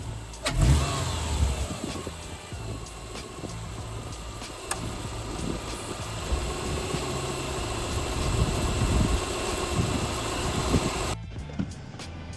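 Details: 2008 Subaru Legacy 2.5, manual, after the Cosmo Racing cold air intake install: catches and settles into a steady, even idle with a smooth low rumble and no knocks or rattles, then revs. Normal start and revving.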